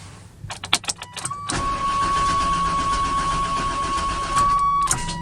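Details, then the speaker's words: 1996 Chevy Tahoe cranking quickly and steadily under a constant chime with a stray kick or two but not catching; fuel pressure present, crank-no-start with occasional firing. "oh that's wanting to it kind of does that random kick sometimes there it goes again it's kind of wanting to"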